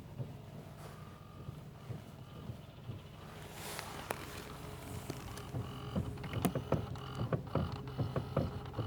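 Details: Car driving, knock suspected in the steering rack, unconfirmed. Over quiet road hum, irregular dull knocks pick up in the second half as the car rolls; front-end knock, source not pinned down.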